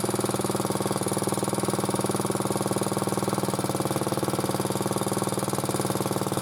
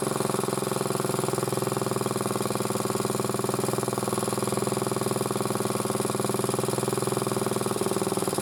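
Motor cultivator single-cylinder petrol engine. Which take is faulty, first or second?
first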